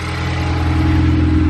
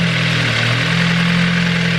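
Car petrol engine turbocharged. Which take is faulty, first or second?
second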